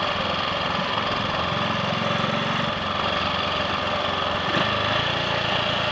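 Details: Triumph Sports Cub single-cylinder riding on the road after cleaning fine rust from the fuel tank (blamed for main-jet fouling) and fitting a protruded-electrode plug: even unbroken beat, no stumbles or cut-outs; slight hesitation at 1/2–3/4 throttle, owner suspects crud on carb needle.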